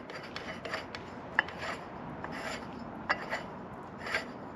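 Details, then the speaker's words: Small Mercury outboard (sold as a Johnson): quiet, uneven rasping scrapes as the prop turns. A missing washer or spacer on the shaft shoulder lets the propeller seat too far in and rub the housing. "you put the propeller on all the way, it scrapes. So it looks like there's a shoulder in the shaft here. It looks like there's supposed to be a washer or a spacer that rides on that."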